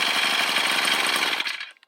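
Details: Brush cutter revving hard then suddenly fading and dying, a recurring intermittent stall; replacing the carburettor didn't help; cause was a blocked vent hole in the fuel tank cap starving the engine of fuel.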